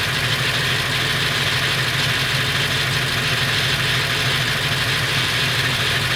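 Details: Late 1999 Ford F350, 7.3L Powerstroke diesel at idle: irregular light metallic rattle over the clatter, more pronounced under the truck; owner suspects flexplate or engine, source not pinned down.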